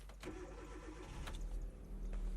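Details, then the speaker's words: 2009 Hyundai Accent with intermittent long-crank hard start (suspected crank position sensor, before replacement): warm restart right after shutoff, brief crank then catches at once into a steady low idle; normal warm restart. "Starts, no issues."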